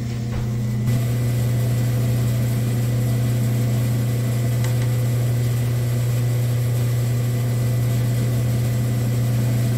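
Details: Rock slab saw with a slow screw-driven carriage, testing the repaired auto shut-off toggle switch. A steady, even motor hum with no knocking or grinding; it runs smoothly.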